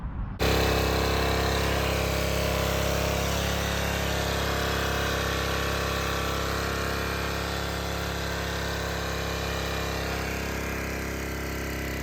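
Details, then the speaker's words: Generac 01292-2 pressure washer small single-cylinder engine after carburetor replacement and fluid flush: runs smooth and steady with no misses or knocks, healthy, though the pump overheats and nozzle steams (pump later needed bearing and oil); normal running. "got the motor running seems to be running really nice but this something's wrong with the pump"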